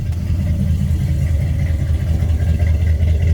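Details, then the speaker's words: 1976 Chevy C30 one-ton V8, idling shortly after a cold start following a week of sitting: deep, steady burble with an even beat, no knocks or misfires. Runs good. "but it does run good"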